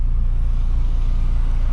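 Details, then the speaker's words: Car after fitting a new exhaust pipe to fix an exhaust leak; deep even exhaust rumble while driving, no ticking or puffing, sounding different from before, leak fixed. "guys can hear my car yeah it sounds way different from the other videos bro"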